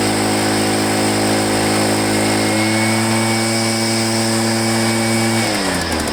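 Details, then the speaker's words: Echo PB500H backpack blower, back with a no-start, running smoothly with a steady two-stroke drone that revs up and eases off; it runs well but the primer bulb is rock-hard and won't prime, and the fuel line had a kink. "anyway it runs good but you can't prime it"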